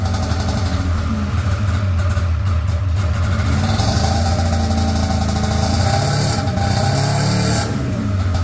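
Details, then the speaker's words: Polaris RMK 700 snowmobile two-stroke test run after build work: lumpy, uneven note stumbling and hunting as revs rise and fall, sounds like only one cylinder firing; misfire cause not yet found. "does not sound happy at all SMY now interesting does not sound very happy [Music] though yeah sounds like it's only hitting on one cylinder"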